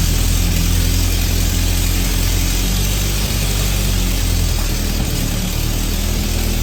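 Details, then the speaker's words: M38A1 Army truck petrol engine, choked, warming up in winter, idling low and steady with a faint puffing tick from leaks at the exhaust manifold; earlier repair attempts failed. "as you can hear she does have a little bit of an exhaust leak so uh guess what folks that's going to be this spring project so we have some leaks at the exhaust manifold"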